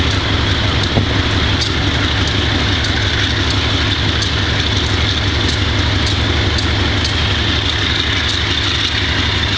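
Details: Wimpy Mtl B30-7 locomotive diesel idling with bad injectors; uneven beat with irregular sharp ticks from missing cylinders. Repeated repairs included air intake, some injectors replaced, valves checked.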